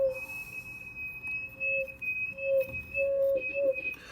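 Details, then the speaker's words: Drake TR4 receiver: steady high-pitched whistle over faint hiss, cutting in and out as RF tune moves; stage oscillates, goes away with antenna removed, tube already replaced, shielding the tube cures it. "okay so you know that's not right and so it's going crazy [Music] if i take the antenna out it goes away so something can do with the antenna oscillating but it just shouldn't do that anyway"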